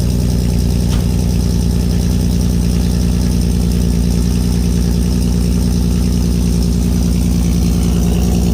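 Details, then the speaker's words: MK1 VW Rabbit GTI with swapped 3.6 VR6 and new 3-inch cutback exhaust, just after cold start: deep, even exhaust pulse at steady fast idle, no ticks, misfires or rattles; runs cleanly. "Day after we got the exhaust done, this is what it looks like. Let's see what a cold start sounds like."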